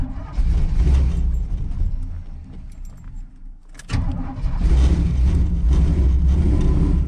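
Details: 1983 Chevy C10 square body, small-block with a lopey cam, carburetor with no choke and a tune not meant for easy starts: cold start fires lumpy, sags and nearly dies, picks up under steady throttle; cold stalling without choke.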